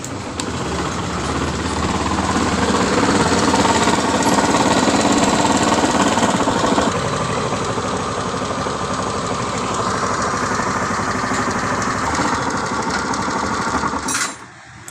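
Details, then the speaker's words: 2019 Honda Scoopy idling with a hard rhythmic knock, about three or four beats a second, from the middle of the engine; mechanic suspects a worn connecting rod, not yet confirmed; rod and piston kit later replaced. "Nah, seperti itu ya suaranya. Suaranya itu seperti setang oblak. Tapi belum bisa mastiin."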